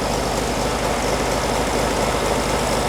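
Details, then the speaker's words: 1957 oval-window VW Beetle: low idle with a slightly lumpy uneven pulse about two beats a second, rough idle to be tuned out. "you might be able to see the giddy up in it we'll see if we can tune that out she smooth it out some so we can just dial it in a little bit more"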